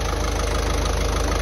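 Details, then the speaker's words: Ford Transit Connect 1.5 TDCi, rebuilt after a timing belt failure smashed the head (head bolts drilled out), before the road test: steady, even diesel idle with a regular low clatter, no misses, knocks or leaks; sounds good, normal idle. "this is still looking good it sounds good as well"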